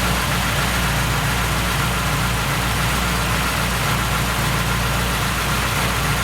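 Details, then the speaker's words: Car with January 7.2 Euro 2 ECU, no stored faults, coolant 82°C, idling rough when cold: steady idle with busy metallic chatter from the engine front; timing chain rattle, before valve adjustment. "иногда цепь тарабанит"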